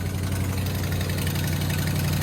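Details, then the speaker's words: 2008 Dodge Ram 2500 4x4 5.7 Hemi V8, cold start: fast crisp ticking over low rumble from leaking exhaust manifolds, fading almost completely as it warms up; needs addressing. "yep when it warms up they go away a little bit but we're gonna have to uh address that for sure"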